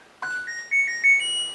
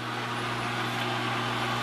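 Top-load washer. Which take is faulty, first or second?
second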